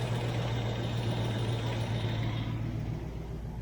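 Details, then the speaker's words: 1993 Range Rover LSE, rebuilt 4.2 V8 warming up: smooth even fast idle, top-end tappets that were clacking have gone quiet; oil pressure about 25 psi at idle, about 35 psi at 2,000 rpm; normal idle, thin oil suspected. "That's But then it's gone quiet. Now you see now that was clacking away like I don't know what"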